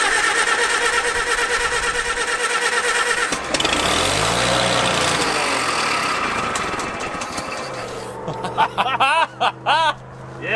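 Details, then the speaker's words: Revived Farmall H after the ignition was fixed and fuel was poured into the updraft carburetor: the cranking catches and it fires into an uneven, chugging run settling toward idle. It starts and runs. "so dude it ran sweet let's get some fuel in this drain our sediment bowl and see if it'll like run run it sounds good"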